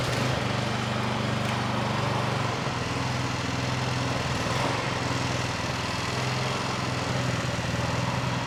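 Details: Bolens 22-inch two-stage snow blower, Powermore 165-WU 179cc OHV engine, a no-start fixed by cleaning the carburetor. Primed and choked, at half throttle: a steady, even putter at fast idle with no surging. Runs properly.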